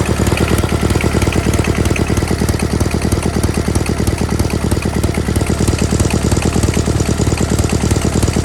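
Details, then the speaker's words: GT/18 after ignition rebuild, no choke, low idle: even firing about three pulses a second, low steady drone; runs better than before, carburetor still needs tuning. "Now she just needs a carburetor tune and she'll be good to go. Runs a lot better than it did, I think. After we tune it, she'll be good to go."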